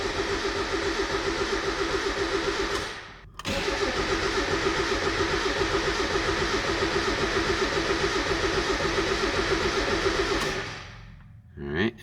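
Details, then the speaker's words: Turbocharged Mazda Miata after winter storage, fuel injection relay removed to prime oil pressure before first start: two long spells of steady cranking, engine never fires; normal cranking without start. "alright so now that we have that fuel relay out we can prime even a neutral we can prime the oil pressure"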